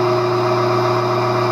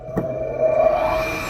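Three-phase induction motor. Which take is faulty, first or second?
second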